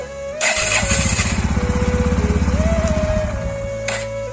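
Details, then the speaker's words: NS125 motorcycle, after a self-start fault was repaired: it catches, then a rough, harsh, clattery chatter of about three pulses a second runs over the idle; the cause is unclear. Abnormal noise after starting. "ये start होने पे एकदम गंदी सी आवाज कर रही है जैसे पुरानी पटाला बाइक की है।"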